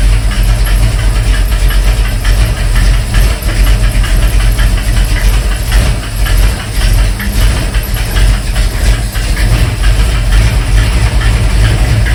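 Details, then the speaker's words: 1971 Mercury Comet GT V8 on a cold start (about 60°F), choke set, fast idle with a sharp, steady ticking clatter in time with the engine, seeming to come from the front and worse when cold; cause not yet found. "I have a couple ideas on that knocking, ticking, clacking sound."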